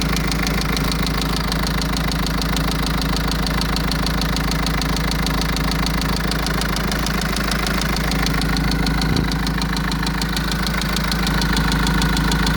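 Diesel van at idle with a steady, fairly regular knock of about 200 a minute over the clatter; cause unconfirmed, perhaps an injector.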